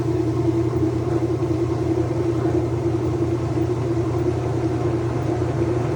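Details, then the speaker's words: Flood-damaged Whirlpool washer after Hurricane Milton, tested with the door switch bypassed in drain and spin: steady, even low hum with a constant mid tone, no scraping or knocking, drum spinning smoothly; normal spin cycle. "Let's check it with a bypass or door switch, and we should go into drain and spin."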